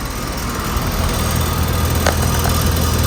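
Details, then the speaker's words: Payne (ICP dark-colored) central air conditioner at an office complex with a scroll compressor: steady low hum with fan noise and no clatter or rattle; normal running. "Here's this one running. Compressor. It's got a nice scroll sound."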